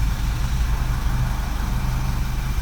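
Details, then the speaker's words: 2009 Vauxhall Corsa D 1.2 petrol after crankshaft position sensor replacement for fault P0335 (cutting out, long crank, crank-no-start): starts first time into a steady, even, smooth idle with no misses. "Let's see if it starts it. Ooh, first time! Fantastic! Oh, that's really nice."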